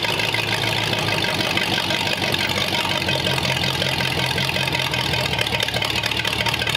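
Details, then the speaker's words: 1941 Ford flathead V8 for a 1939 Mercury Coupe, carb and spare distributor fitted, on the run stand: fired almost instantly and runs steady and even with busy mechanical clatter, no missing or knocking, heavy smoke, okay oil pressure. "but we did get it running it had okay oil pressure on it and all that good stuff"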